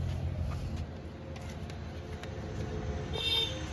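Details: Hyundai i20 petrol engine after a rebuild, which had no compression before; cam chain refitted and timing and tappet covers installed: a quiet, steady low idle with no knocking or ticking; normal idle.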